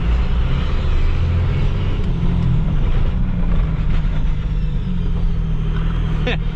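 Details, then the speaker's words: 12-valve diesel truck with NV5600 manual and exhaust brake, driven in second gear, back window down; heavy steady deep diesel roar as the exhaust brake holds back, works well; new exhaust manifold gaskets still pending. "that works very well i can't wait to get the new exhaust manifold gaskets in"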